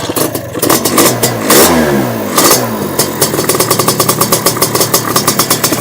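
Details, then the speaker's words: First start of a Sledgehammer 333 two-stroke on Castrol Power One after a second kick: a ragged crackle catches, revs and sags, then settles into uneven popping. The idle is too low and needs more throttle; the owner fears it may be flooded. "Definitely need a bit more throttle."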